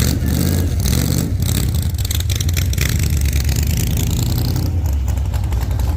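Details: 1948 Chevy Fleetline small-block Chevy V8, 4-speed, after a fix for push rods breaking on the first burnouts: deep V8 rumble revving hard through open headers in a test burnout, pulling cleanly up and down, no clatter or misses, healthy.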